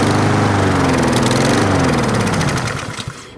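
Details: Four-stroke lawnmower engine running after a burst of Sea Foam Spray into the intake for ignition vapor; steady fast putter stumbles, slows and dies as the intake is deliberately flooded with spray, stalling it for a 10-minute hot soak to clean valves and chambers.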